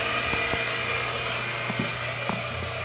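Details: Household electric water pump that had been stuck and only buzzing, running after being tapped free: steady, even motor hum and whine with no stalled buzzing.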